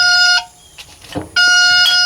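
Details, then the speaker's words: Yamaha outboard boat that sat for years, ignition turned on: loud high-pitched beeping that pauses and resumes because the fuel water sensor reads pegged high, detecting water; owner plans to replace the sensor. Water-in-fuel warning. "when I turn this on and that's the uh fuel water sensor it's pegged out at the top when it goes to the top it detects water"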